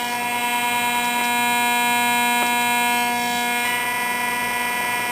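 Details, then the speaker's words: Zenith Trans Oceanic Royal 3000-1 radio after repair and reassembly, signal generator at about 100 kHz: steady whiny tones with faint ticks through the speaker, interference from a nearby frequency counter, blamed on its multiplexed LED display. "now this frequency counter is a source of of noise especially with such pro close proximity to the radio i think most of it has to do with the multiplexing of the dam display but stupid leds"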